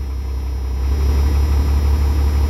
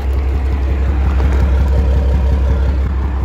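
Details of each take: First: Rebuilt 12-valve diesel hotshot truck, warming up: low, steady rumble holding an even idle around 770 rpm, no knocks or misses; healthy idle, though the oil pressure gauge fluctuates. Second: Dodge 12-valve Cummins diesel hotshot truck at idle during restoration, after power steering fluid ran low: heavy clattery idle with a steady low thump about three times a second; source of the thumping unknown.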